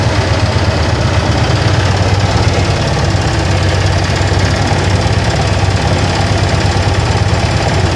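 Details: Yamaha FZ16 Fazer single-cylinder at idle: steady low thrum with a rough, uneven rattle; owner reports an unusual engine noise, source unknown.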